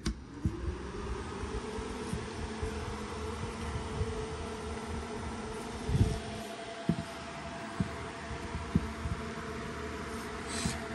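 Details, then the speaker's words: iPollo G1 Mini ASIC miner after replacing its short-lived OEM 60x60x20mm fans: fans spin up and settle into an even, steady whir with no rattle, ticking or grinding, like stock or slightly quieter; healthy fans. "that is much better back to probably what I would consider Factory uh the stock Factory sound maybe a little bit quieter"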